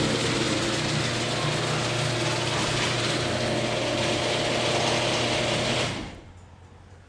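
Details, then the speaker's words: Garage door opener opening during Wyze garage door controller calibration, triggered from app: even, steady whirring drone about six seconds, winds down and stops cleanly; normal operation. "click to open there you go okay come on it's opening beautifully"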